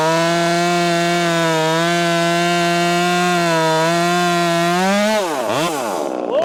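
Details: Ported Husqvarna T540 Mark III top-handle chainsaw on its third tank, not fully broken in, warmed up, chain quickly filed: strong steady high note through the cut, revs swinging freely as the bar clears; cutting cleanly.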